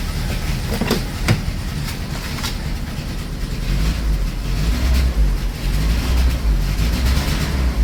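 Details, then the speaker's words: 1984 Dodge Mini Ram carbureted van, parked about 25 years, cold start in freezing Minnesota weather. Lumpy, uneven idle with irregular stumbles, "like 3.5 cylinders". Rough idle with a misfire, cause unconfirmed. "It's like 3.5 cylinders. Three and a half's good enough."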